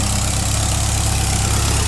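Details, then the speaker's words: 1959 VW single cab pickup cold start, briefly flooded: low, even, quiet idle with a soft exhaust note and no knocks; charge and oil pressure lights out, normal idle. "there you go doesn't sound bad at all it's quiet oh he doesn't sound bad at all"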